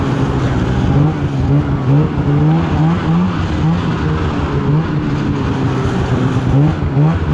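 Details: 2016 Polaris Indy 600 SP two-stroke snowmobile at full throttle after plugged fuel filter fix (previously stuck below 6,500 rpm): high steady scream, clean unbroken pull, no bogging or misfire, hitting about 8,000 rpm as it should; normal run.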